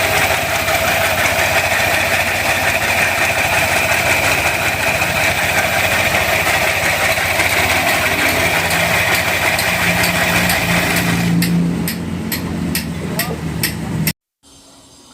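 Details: Yamaha Aerox scooter engine idling with a rough, hollow, layered rattle from the cylinder head area, caused by a failed, badly worn camshaft bearing.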